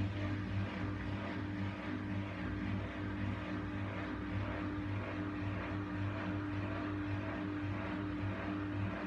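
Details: Essentials C510WM14 washing machine spinning fast: a loud, steady droning roar with a deep hum, like a distant aircraft, from failed drum bearings.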